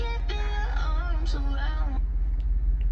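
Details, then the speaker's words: Jeep Wrangler 392 after installing a Tazer JL Mini with a firmware update: radio music cuts to silence every one to two seconds over a steady low hum. Intermittent audio dropout; owner suspects the defective Tazer, unconfirmed. "mute mutes every second every two seconds [Music] and that didn't happen until I installed the uh taser mini as well"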